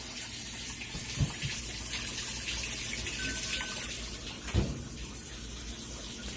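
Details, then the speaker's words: Kenmore washer, used, in like-new condition, during inspection: steady rush of water pouring into the tub with a few splashes, no valve buzz or hammering; filling normally. "see it's bringing in the water just fine everything's nice and clean these two are in like-new condition"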